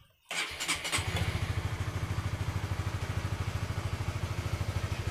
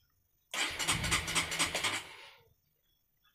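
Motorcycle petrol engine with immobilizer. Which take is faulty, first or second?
second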